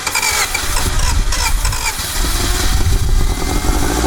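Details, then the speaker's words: 1991 Honda CRX Si barn find, engine seized for over 10 years then freed, first start: runs by itself but lumpy and uneven, pulses missing, on only two cylinders; owner suspects two stuck injectors since spark is present at the cap. "running by itself. Not very good. It's running on two cylinders. That's kind of cheats, but um it's possible we have two stuck injectors because this spark plug has fire and so does this one."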